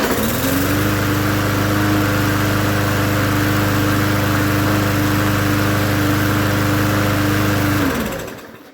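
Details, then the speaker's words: Free, previously unknown-condition push mower, first start after oil check (looked overfull), carb cleaning and fresh gas: fires and settles into a steady, even drone for several seconds before shutdown; runs healthy. "seems like it started to me all right put some oil in it now I'm ready to use it not bad"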